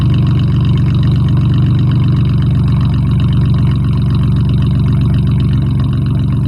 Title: Mustang V6 with duals and an exhaust leak. Cold start. 240,000 miles.